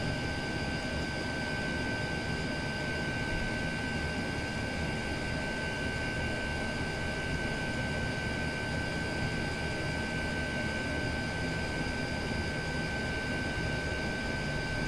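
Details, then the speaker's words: Chinese diesel air heater with exhaust feeding a radiator, on setting 6 full power, pump running faster: loud steady even roar of burner and fan, no surging or popping; running normally flat out. "Yeah, that noise has changed. It's just on setting 2 now. We had that on 6 a minute ago, which was fun. Quite noisy, aren't they? When on full power."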